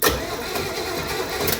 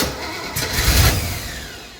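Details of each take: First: 1968 Camaro with a 327 and 4-speed, in neutral, no fuel, cranked via a jumper wire on the starter solenoid. Steady, even starter churning, no grinding or binding; the engine turns over freely, normal cranking. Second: 1968 Camaro, 327 with 4-speed, swapped Holley carburetor, first start attempt: brief burst of cranking that never catches into a steady run; no fuel in the carburetor bowls.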